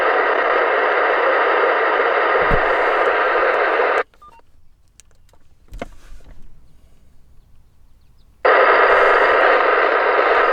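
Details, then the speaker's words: Uniden analog scanner while railfanning: harsh steady buzzing hiss drops quiet then returns; encrypted digital transmission the analog scanner cannot decode. "That's what an encrypted signal sounds like on an analog scanner."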